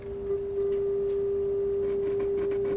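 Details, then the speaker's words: Pioneer SX-1050 receiver, first power-up before restoration, FM tuner near 100 MHz at -20 dBm, dial slightly off: steady test tone with faint crackly static; may need cleaning, static on FM reception. "we have as you can hear we have a little bit of static so we have you know we may have to clean it a little bit do some cleaning"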